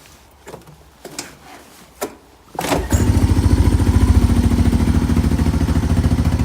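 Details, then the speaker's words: 1987 Honda TRX200SX ATV in cold weather, just after its carburetor was cleaned: clicks and thumps, then the single cylinder settles into an even putter about 3.5 beats a second; a normal idle. "oh just got finished cleaning the carb and now listen to this baby purr"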